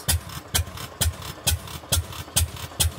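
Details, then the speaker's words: Fairbanks Morse 208 oilfield engine running on newly installed magneto; heavy slow beat with a loud intermittent clang about two a second; intermittent knocking, bolts and saddle checked, rust seen between beam and saddle, cause unconfirmed. "this will be a keep an eye on deal but I'm pretty sure the camera caught that banging clang noise"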